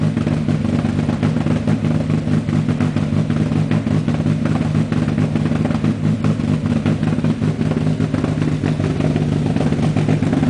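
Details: Renault Clio A-gr on KTR Gen 90 engine management: engine held at fixed high revs with a rapid, even stuttering crackle that never climbs, launch control bouncing off its limiter.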